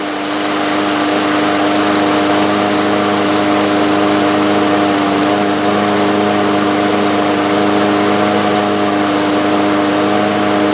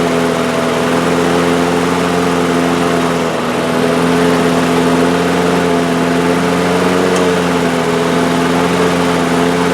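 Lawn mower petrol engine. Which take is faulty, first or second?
first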